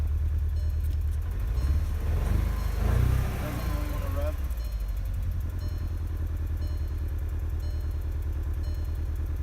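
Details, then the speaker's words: 2012 VW GTI 2.0 turbo petrol starts and settles into a lumpy, stumbling idle; scanner shows cylinder 4 and cylinder 2 misfire codes, probably bad ignition coils. "Let's start the car. You can hear the car misfiring."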